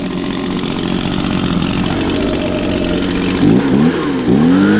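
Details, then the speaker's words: Echo handheld leaf blower, used recently, started on choke with primes: small two-stroke catches quickly, buzzes steadily, then revs up and down cleanly; normal start and run. "and just as I predicted started right up just because it was just used recently"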